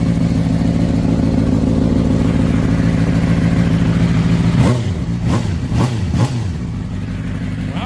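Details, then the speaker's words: Honda CBR600RR motorcycle recovered from a pond after a crash, first start with tip-over switch bypassed and rags possibly still in intake: strong engine note with sharp rev blips and slight raspy puff, suspected exhaust leak. "Runs wicked good. Sounds like it's got an exhaust leak though."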